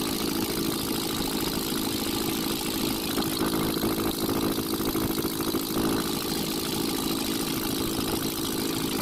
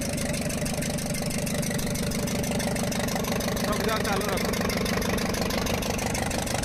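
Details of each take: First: Ashok Leyland Captain 4923 BS4 diesel truck after refitting dropped valve bridge on rear-first cylinder and metering unit coupler: steady even idle clatter, no odd knocks or surges; noise back to normal, diesel leak stopped. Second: Ashok Leyland Captain 4923 BS4 diesel with smoke and pickup loss, idling with the charger connection removed: a sharp, regular tapping about three times a second. Cause: a valve bridge dropped off the first rocker from the rear, with raw diesel escaping.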